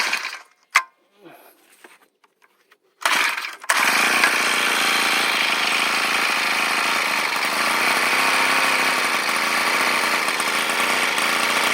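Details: Old two-stroke brush cutter that stalled and ran unstable RPM when throttled, blamed on a hardened fuel-cap vent: after the cap's inner cover is removed, it holds a loud, even high-revving buzz under throttle.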